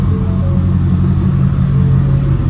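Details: 2022 Ford 6.7 Powerstroke diesel at first start after installing an S&S DCR high-pressure fuel pump in place of the CP4. A deep, even rumble with a steady low beat, no knock or misfire, settles into a normal idle.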